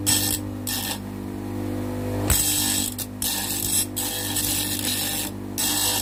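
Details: Homemade bench grinder, table-mounted, switched on to grind a steel angle: steady low motor hum throughout with gritty bursts each time the steel meets the wheel; grinder running and cutting normally.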